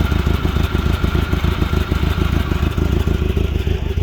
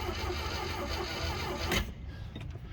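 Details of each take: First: Glastron Carlson CVX-16 boat engine restarted on the first day of a rejuvenation project, after covering the last hole, to check it blows water out; steady low beat with even pulses, no knocks or rattles, clean healthy idle. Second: Glastron Carlson CVX-16 boat on the first day of its rejuvenation, engine never tried before, cranked only to check whether it turns over, without gas. Slow, labored starter churning for under two seconds without catching. Weak cranking, but it cranks.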